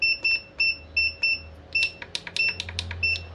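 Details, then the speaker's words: Godox SK400 studio flash showing error E3 at power-on: pairs of short high-pitched beeps repeating over a faint hum, unit refuses to operate. "Iya, langsung E3 ya, tuh bisa diperhatikan teman-teman. Dan dia hanya bunyi-bunyi begitu aja ya, nggak mau beroperasi."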